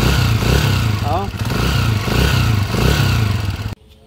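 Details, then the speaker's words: TMX155 single, before overhaul: coarse, uneven clatter at idle and when blipped from a worn, rough timing gear, likely original; engine also burning oil, timing gear replaced with original part. "So narinig na natin yung andar niya kanina. Magaspang na rin talaga yung kanyang timing gear."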